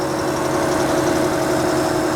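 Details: 1967 Ford F-100 old truck revived after fresh oil and fuel work: smooth even idle with steady hum, no ticking or clatter from the top end; oil circulating, sounds healthy.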